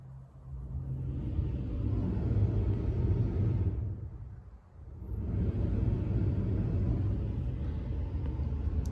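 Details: OEM van blower motor repurposed as roof-fan substitute, running via PWM fan controller just after fixing the controller switch bumped to stop: low steady whoosh and hum with one brief dip and recovery; normal blower operation.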